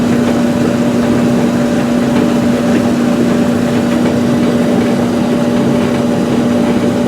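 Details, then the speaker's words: Dryer: steady, even mid-pitched hum from the motor with the hot surface igniter on before burner ignition, no knocks or scrapes; normal running. "So that's the motor, and now the hot surface igniter is on."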